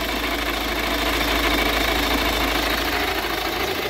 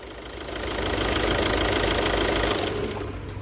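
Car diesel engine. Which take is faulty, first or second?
first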